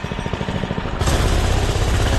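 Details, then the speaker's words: Doodle Bug DB30 minibike after fitting a new carburetor: fast, even single-cylinder putter that grows fuller and steadier after the first second, no stumbling, running way better than before. "she's running way better than before"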